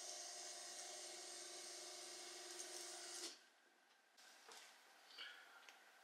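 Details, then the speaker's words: VW Golf 2 GTI with Digifant injection, electric fuel pump switched on to check for leaks at about 3 bar after refitting the fuel rail; even high whir for about three seconds, then cuts off with faint clicks. Owner suspects the odd noise was the empty rail filling. "j'ai coupé parce que j'avais l'impression que ça fait un bruit bizarre allumer après c'est parce que la rampe aussi elle était vide alors c'est peut-être du fait qu'elle s'est rempli"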